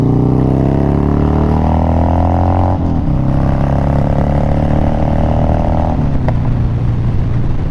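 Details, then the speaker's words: Twin Cam Harley-Davidson Dyna Glide (FXD) after a CV carburetor rebuild and intake manifold reseal, ridden through two gear changes. The deep, even V-twin rumble pulls cleanly with no misses, pops or stumbles; it runs good. "Yeah, runs good."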